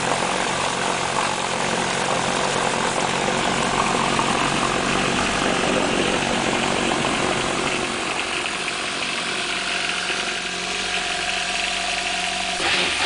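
Smooth, steady idle with a fairly quiet, even hum and no knocks or rattles; a healthy four-stroke running cleanly.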